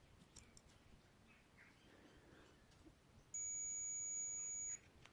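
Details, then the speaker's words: Infrared cooker circuit board being tested with a multimeter in buzzer/continuity mode: a quiet room, then one steady high beep lasting about 1.5 seconds. There is continuity, so the fuse is good. "अगर आप यह continuity की आवाज सुन पा रहे हो इसका मतलब यह बिल्कुल ठीक है। इसके बाद यहां पर आप देख सकते हो यह फ्यूज बिल्कुल ठीक है।"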